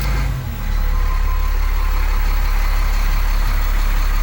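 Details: 2001 Cummins 8.3L ISC diesel with CAPS injection in an RV, after replacing the engine speed sensors, no codes: steady, even low rumble at idle with no misses or knocks. Smooth, healthy idle.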